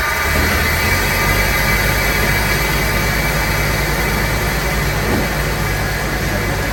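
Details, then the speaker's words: 1999 Jeep Wrangler TJ Sport, 144,000 miles, automatic, after new alternator, pulley and serpentine belt: steady even idle under hiss, loud dieseling sound gone; normal idle. "ah john a lee dog that sounds much nicer and i can hear other bumps and tweaks that sounds so much better no loud dieseling sound man that's money well spent"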